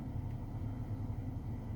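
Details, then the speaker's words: 2008 Ford Focus 2 facelift heater blower fan after removal, cleaning and WD-40 lubrication of its motor to cure a whistle/squeak: low, even hum with no squeak or whistle, at high and minimum speeds; fan running smoothly. "проверяем включаем тишина скрипов нет свисток нет работает ровно"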